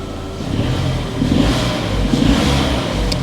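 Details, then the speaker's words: Salvage-auction Vauxhall Adam revs up cleanly and settles back, even and smooth with no knocks or rattles. Engine sounds fine; normal revving. "engine sounds fine engine sounds fine"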